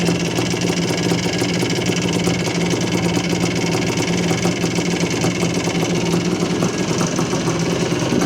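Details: 1978 Yamaha IT400 two-stroke, clutch cable replaced and petcock cleaned; idle judged too low, heavy compression noted. Steady, even idle with a crisp, rapid beat that neither hunts nor misses; normal idle.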